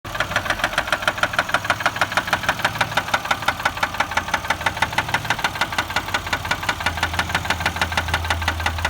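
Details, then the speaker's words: 2004 Chevy Malibu at idle: steady sharp metallic knock about three per second; continues while driving, fading near 50 mph, and the engine cuts off in drive at idle; owner suspects a spun bearing, unconfirmed. "that sound keeps going while you're driving kind of dies down at 50 miles an hour but you can still hear it"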